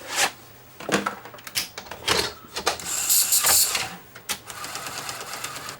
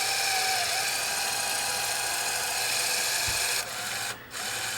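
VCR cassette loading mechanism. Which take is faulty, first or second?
second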